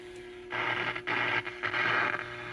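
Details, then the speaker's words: Japanese-market 100 V Panasonic radio, warmed up: irregular bursts of harsh scratchy crackle over a faint hum, from metal cat whiskers in the tuning capacitor fins rubbing and shorting between plates. "so what that unpleasant scratching noise is is that there's little metal cat whiskers that are in these fins and they're rubbing up against each other"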